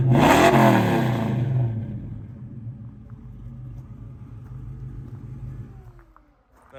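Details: 1967 Ford Mustang Fastback: sharp rev blip falling smoothly back to a quiet idle; revs cleanly and sounds healthy.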